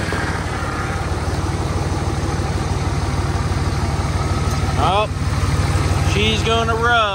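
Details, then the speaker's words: 2003 Dodge Cummins diesel after front axle swap, at idle while steering; diesel clatter with rising whine on each wheel turn, low fluid suspected: power steering pump whine. "so i don't know if you guys can hear it but need to throw some [ __ ] fluid into the power steering so i'm gonna go ahead and do that real quick"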